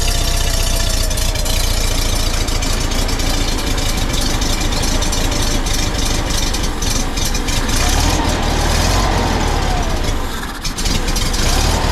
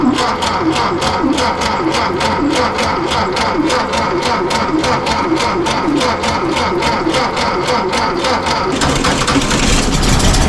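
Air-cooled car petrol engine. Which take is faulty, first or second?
second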